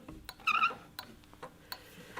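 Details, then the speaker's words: Older-car bimetallic indicator flasher unit on a bench, in series with a lamp on a power supply, just switched on: sharp dry clicks about every half second, squeak in background, bulb flashing; flasher cycling normally. "And you can hear the clicking sound from the flasher unit, and you'll notice the bulbs flashing too."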